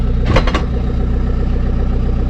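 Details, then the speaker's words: Van with a newly refitted exhaust that is not yet bolted on, idling while put into reverse: a few hollow clunks over a steady idle rumble. The loose exhaust is knocking against the body. "but this noise is the exhaust hitting the body because it's not bolted on"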